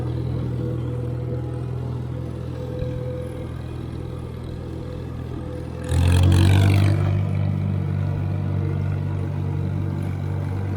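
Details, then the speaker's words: IH McCormick Farmall 350 tractor driving in third gear on its first chore; the ride is a little bumpy. A smooth, even low drone with one brief clatter and no knocks or misses. The engine is quiet and smooth, running normally. "it's a smooth running engine and uh you know it's not terribly noisy"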